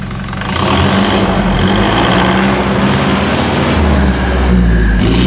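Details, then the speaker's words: New 2021 Toyota Hilux diesel, 1,700 km, after Bilstein and OffShox shock install: engine climbs smoothly through the revs and drops back cleanly, slight exhaust rasp, no knocks; healthy engine. "Vamos escutar a melodia? Certamente que sim! Então vamos! Vamos escutar essa melodia! Acelera!"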